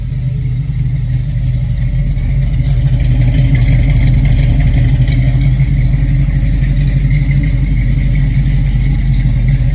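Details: 1969 Chevrolet Camaro, fully cold start with headers cold: deep, steady rumble holding an even beat, no knocks or rattles; healthy engine settling into idle.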